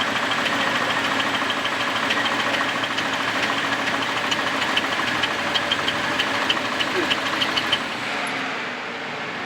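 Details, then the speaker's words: Fuel-injected Camaro, first start after an exhaust repair: uneven, rattly idle with a harsh clatter before it shuts off on its own; possibly low on gas, cause unclear. "that just shut off on its own oh why did you shut off I I don't know you making a face just start it up again then you can come out here so you can hear me it making a weird noise"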